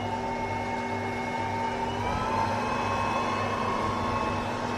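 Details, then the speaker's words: UV flatbed printer vacuum table switched on with bag in place before printing: steady electric hum with constant fan whir, slight pitch shift then settles; running normally. "Tas sudah kita pasang, kemudian kita nyalakan vakumnya."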